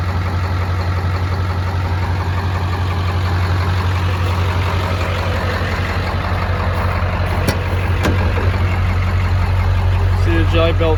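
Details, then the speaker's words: 1999 Ford F-250 2wd shorty with 7.3 Powerstroke diesel, ZF6 manual, believed to be on the lope setting; deep idle rolling in an uneven loping beat about three pulses a second, deliberate tuned lope rather than a fault. "I believe this is the lope for it. I know it sounds like crap, so I'll get it out the lope, but put it back to one."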